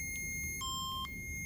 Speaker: and it'll pop right out and also say that your cassette has popped out of the machine.